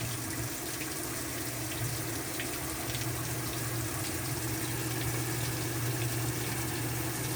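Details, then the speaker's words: Whirlpool top-load washer, no spin/wash and humming, with cabinet off, checked before agitator dog replacement: steady low motor hum under splashing, draining water, no grinding or binding; spinning and draining freely. "so the washer should Spin and whatever water's in there you'll hear it draining"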